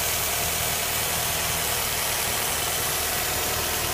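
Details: 2004 or 2005 Nissan Altima with P0171/P0174 codes, stumbling at idle since a valve cover gasket change: a loud steady hiss over an unsteady idle with faint irregular knocks. A vacuum leak is suspected, not confirmed.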